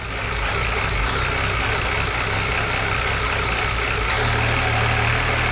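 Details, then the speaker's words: BMW E92 335i with swapped E90 engine (valves lapped, head refitted), restart after low fuel pressure, air in lines suspected: loud, steady, even idle with smooth low rumble, no knocking; running fine, normal idle. "okay so that ran for a few seconds it seems to be running fine no knocks"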